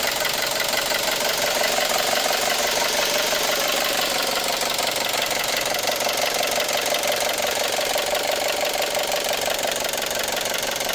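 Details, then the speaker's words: 2012 Chevrolet Cruze 1.4L turbo Ecotec at idle: a hard, rapid metallic clatter of about three knocks per second makes it sound like a diesel. This is a serious internal engine knock; suspected causes are bad lifters, timing issues or rod knock, not yet confirmed. "quién cree que sea este ruido? Parece diésel este motor Ecotec."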